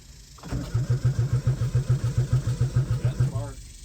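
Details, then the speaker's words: Wrecked, parted-out 1996 Geo Metro powered by a jump box, clutch pressed: even cranking at three to four compression beats a second that never fires. It has spark, but no fuel pump is heard; the gauge reads empty though fuel is smelled. "Fuel gauge says it's empty, but I smelled fuel in it."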